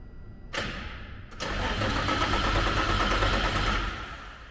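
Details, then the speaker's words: Nissan 350Z DE race car, first start after installing Tomei Poncams: starter spins the engine at an even beat for a few seconds but it never catches. Cranks with no start because the fuel pump fuse was in the wrong spot. "Well, it helps if you put the fuel pump fuse back in the right spot, so let's give that a little try."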